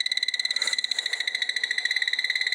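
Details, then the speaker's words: Commercial plant room, boiler 3: gas sniffer held underneath boiler 3 emits steady rapid high-pitched chirping, about thirteen beeps a second, detecting a gas leak being traced for repair. "This is boiler 3, underneath boiler 3, and the sniffer has detected it."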